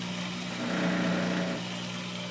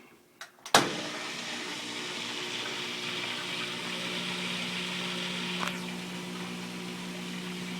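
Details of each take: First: Kenmore front-load washer, model 417.40142000: steady low hum swelling into a loud rattling vibration buzz from the drain pump; light pressure pushing the pump down stops it, lifting on it brings the noise back. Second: Kenmore front-load washer, model 417 40142000, drain pump after fitting a bracket that presses it down to stop vibration: clicks, then a steady smooth pump hum with water hiss, no buzzing; lifting the pump brings the noise back.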